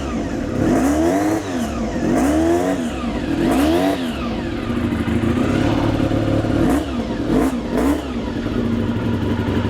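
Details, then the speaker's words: Honda NC35 motorcycle started on a battery booster in the shop: crisp blips rising and falling cleanly every second or two, returning to steady idle; revs freely, healthy. "I mean, give me a couple more revs, would you, sir?"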